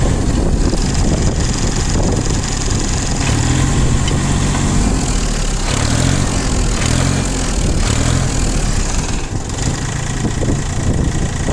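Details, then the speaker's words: Three-cylinder 18 hp ISEKI TU180 mini tractor at steady idle: deep, even chug with no knocks or misses and little vibration even at start-up; the engine runs smoothly, no complaints. "Двигатель работает ровно, без нареканий. Хотелось бы заметить, что даже при запуске особой вибрации нет, поэтому здесь все отлично."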